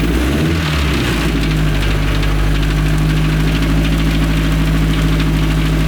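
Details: Restored 1932 Ford Model A dirt track speedster four-cylinder; deep lumpy beat at steady fast idle, even firing without misses: normal running.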